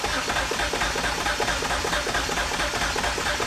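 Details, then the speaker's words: 2006 Kia Sorento with misfire codes P0300/P0301/P0303/P0305, a rattle and a raw-fuel smell, cranking with the fuel fuse pulled: steady, even starter cranking rhythm. This suggests no compression imbalance. "All right. Well, as you can hear, it does not appear to me at least that there is a compression imbalance on that engine. Very surprising given the nature of what you heard when it's running."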